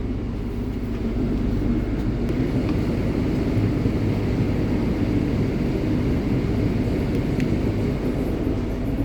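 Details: Repaired generator just reinstalled in a 2019 Allegro Red motorhome, heard from outside after start: steady low drone at constant speed, no knocks, surges or misses; normal idle.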